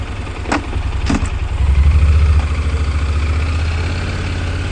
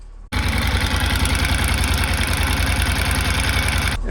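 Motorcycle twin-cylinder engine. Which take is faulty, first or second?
second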